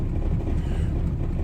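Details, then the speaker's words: 1987 Chevrolet Caprice just after a cold December start: low lumpy idle, heavy bass rumble with slight stumble, struggling to stay running; owner suspects the carburetor choke, needing a rebuild. "to get that Carberry built so I can have my choking [ __ ] working right because it'll probably shut off in a little bit"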